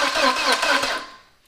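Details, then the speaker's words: 2000 VW Passat 1.8L turbo after head and timing belt replacement, weak battery with booster pack: starter cranks in quick regular pulses, never fires; seems to have compression, owner suspects timing possibly 180 out. Crank no start. "now we got to figure out what's going on with the no start it does sound like it's got compression which is a good thing so i do feel like it's possibly in time"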